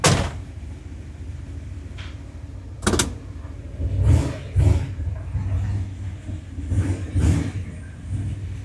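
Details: 1976 Ford F250 turbo 331 V8 just fitted with a bigger cam and freshened heads, first run; deep low idle rumble with slight uneven rise and fall every second or so, mild cam lope, normal; tune expected to need readjusting.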